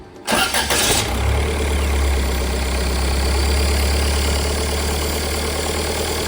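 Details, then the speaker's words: TDI diesel-powered TJ Wrangler after installing a GTD1752vrk turbo and MagnaFlow muffler. A brief crank, it catches quickly, then settles into a steady, even idle, about 1200 rpm per the owner, with no misses or leaks; healthy. "it's great to hear the Wrangler running again I've actually done a lot since I last turned on the camera I've let this engine idle at about 1200 RPM because that's where it idles right now for about an hour"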